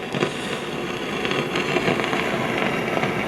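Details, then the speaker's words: 1955 GE Musaphonic Model 581 tube radio: constant irregular crackling and popping like distant thunder, with no stations received even one a mile away, from silver mica breakdown in the IF transformers. "And as you can hear, we have the same crackling thunderstorm effect that we always seem to have when we have the symptoms of SMD, which are bad mica capacitors and the IF transformers."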